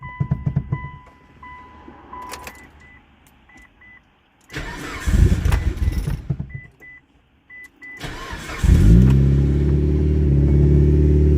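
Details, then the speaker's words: Mitsubishi Evo that would not start due to burnt, welded-together wires, first start after cutting them apart as a temporary fix: warning chimes, starter cranks, engine catches quickly and settles into a steady even idle; normal start. "yes that is fixed so it looks like that was the only issue so everything's fixed"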